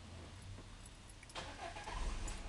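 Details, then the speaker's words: 2009 Peugeot 307 that would not start, cranked after the ABS/PSI plug was disconnected (owner unsure whether the ABS is faulty): starter cranks briefly, engine catches and settles into a steady, even idle with no misses; normal start. "carro funciona normalmente e eu não sei se é defeito do PSI né"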